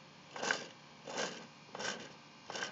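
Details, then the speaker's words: Honda Civic S20 transmission turned by hand in a quiet room: dry rasping growl surging with each turn, about every 0.7 seconds; owner suspects a worn input shaft bearing, unconfirmed. "but with that noise I'm betting is that where I play on the Swit shaft bearing or is that normal can somebody tell me"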